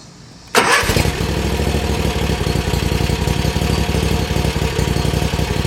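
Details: Bad Boy Maverick zero-turn, engine repaired after fire, started in neutral on jack with wheels off ground; catches at once, smooth even steady run, no knocks or misses; normal running.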